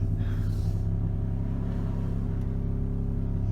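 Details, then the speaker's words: Pontiac Grand Prix after an idle air control valve replacement, stopped at idle: a low, uneven rumble that wavers and never settles; it idles rough only at idle, so the valve was not the whole problem, and the cause is not yet found. "well the idle air control was not the whole problem listen to this I'm going to stop and just listen hear how it's idling rough there you go"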